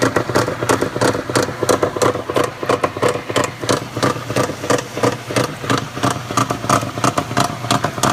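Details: Maytag Centennial top-load washer while agitating: loud rhythmic clunking and whirring about ninety strokes a minute as the agitator reverses; owner suspects a bearing, cause not confirmed.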